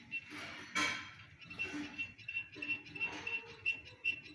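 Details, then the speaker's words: Rear bicycle wheel spinning with light, irregular metallic clinks and ticks because the spokes are all loose, wheel laced without crossed spokes. "ruido porque los rayos están todos flojos"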